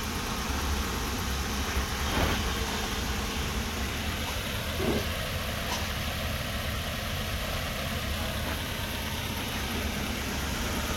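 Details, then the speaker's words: Toyota 1TR engine after a full overhaul that followed loud knocking: it starts easily and settles into a steady, even idle with a low hum and no knocking, ticking or missing; it runs healthy. "তো আলহামদুলিল্লাহ গাড়ি আমরা start করছি এবং খুব সুন্দর sound, এবং স্টার্টের কোনো ঝামেলা নেই, ইঞ্জিনে কোনো মিসিং নেই, আলহামদুলিল্লাহ সব কিছু ঠিক আছে।"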